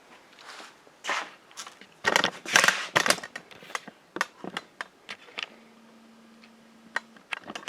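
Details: Aztec electromechanical pinball after a fried coil from a stuck ball: bursts of crisp relay clicks and solenoid clunks in quick uneven runs, then settling; normal start-up sequence.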